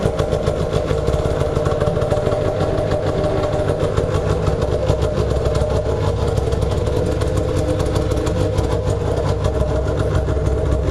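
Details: Two-stroke machine jacked up in the garage and held at full revs: a steady high rev with a dense, even buzz and no dips or stumbles. It pulls cleanly without bogging.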